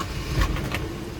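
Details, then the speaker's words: 1979 Toyota Corolla KE30 1.2L, started in neutral after the noisy crankshaft bearings were replaced (oil pump had starved them): a short crank catches quickly into a smooth, quiet run with no knocking; much quieter than before. "oh that's a lot quieter now it's a lot quieter now oh much much better much much better"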